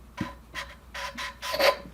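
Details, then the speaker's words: Hand lapping a cylinder head valve with lapping compound, using butyl tape in place of a suction-cup tool: short rasping strokes that are now soft and even with no gritty catch. The valve seat is lapped smooth. "and then it's basically just uh making a little Indian fire you know until it stops making noise so you can hear that it's gotten pretty smooth sounding"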